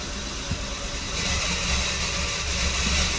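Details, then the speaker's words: 2014 Dodge Dart 2.4L MultiAir after installing a used MultiAir brick (variable valve actuation unit) that would not sit flat: engine starts and revs cleanly with steady even note, no stumble; runs much better than the previous brick. "Oh yes. I think that sounds way better than the last brick."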